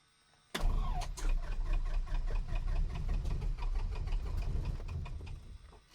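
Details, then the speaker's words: Light airplane piston engine, bought in pieces, on its first start attempt with brakes on: the starter churns about four times a second for several seconds and never fires. The owner smells fuel and thinks he flooded it. "I think I flooded it. Is it flooded? Yeah, I can smell the fuel."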